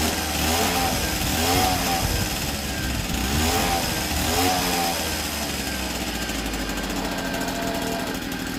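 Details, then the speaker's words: 1964 NSU Quickly S23 3-speed two-stroke moped, first start after engine rebuild, on premix (32 ml oil per litre); crisp, even buzz with throttle blips rising and falling cleanly, no misfires or rattles, healthy. "This is my first 3-speed engine rebuild. And it's popping like a Swiss."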